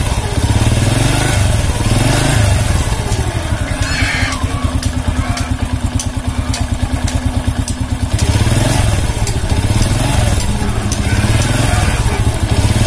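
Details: Honda C100 single-cylinder motorcycle with sluggish pickup: rough, uneven idle with gritty clatter and irregular thumping; rough engine noise, cam chain or clutch suspected, not confirmed.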